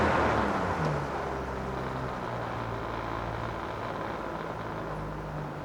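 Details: 2014 Yamaha 70hp 20-inch remote outboard with about 1,500 hours, running in forward gear: steady low drone at an even pace, with a light rattle about four times a second from the tank (foam inside), not the engine; healthy.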